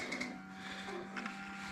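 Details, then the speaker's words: 2008 KTM Super Duke 990, claimed 1500 miles, on a booster pack after the fuel system ran dry: faint steady electric whir with a light high hum at key-on, the fuel pump priming normally before the first start attempt. "I hear the fuel pump we'll prime it a couple times since uh the fuel system was"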